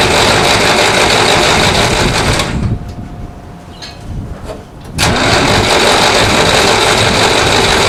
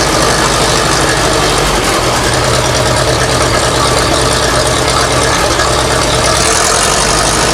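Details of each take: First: 1960s Massey Ferguson 165 tractor, coolant drained for winter, using choke: steady cranking, pause, more cranking with no firing; spark confirmed but only a little fuel from the carburetor, suspected stuck needle or unfilled bowl; fuel starvation. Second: 1960s Massey Ferguson 165 tractor after a part was refitted; a vacuum leak at its gasket was suspected: steady low thrum with even firing beat, no stumbling or knocking. Normal idle; running again.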